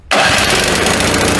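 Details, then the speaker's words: Snowblower restarting after its carburetor bowl was drained and the bowl screw refitted, no re-prime: catches instantly on the first try and settles into a steady, even small-engine run with no stumbling or misfire, so it starts normally. "First try absolutely, perfect."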